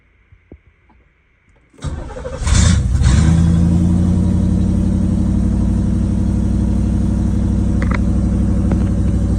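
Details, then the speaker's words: 1989 Camaro in cold rainy 40–50°F morning, no exhaust fitted, ignition switch just fixed; cranks briefly and catches, settling into a steady raised fast idle with even rhythm that drops back as it warms, normal cold start. "um if she does idle kind of hide it whenever she first starts up but then she'll drop back down to where she needs to be"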